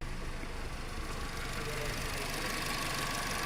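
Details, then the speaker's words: VW Polo after replacing an oil-fouled spark plug that caused rough idle and EPC light: steady, even low-rumble idle with no stumble or vibration; EPC light gone, normal idle after repair. "the engine is no longer vibrating, so everything is sharp."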